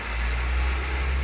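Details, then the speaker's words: Manual-transmission car started with a portable jump starter (Tacklife T8) on boost after its battery went dead sitting over a weekend; loud, steady low rumble of normal fast idle just after cold start, quieting down within seconds. "It will quiet down in a second. There you go. Quieting down."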